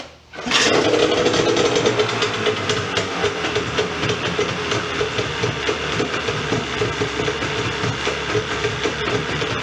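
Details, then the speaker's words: Rebuilt Yamaha 40hp two-stroke outboard, lower unit refilled and shifting well, started on the tank: catches quickly and settles into a steady, even idle, checked for overheating before a final compression test. "Let it idle, make sure she don't overheat or anything like that, and then we're gonna do a final compression check."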